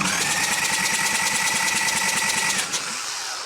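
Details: Freshened-up Harley Evo Sportster 1200 chopper motor cranked on the starter before first start, oil filter off to check oil pressure: fast even starter whir with regular light pulses, no grinding; oil gushes from filter housing, oil pressure confirmed.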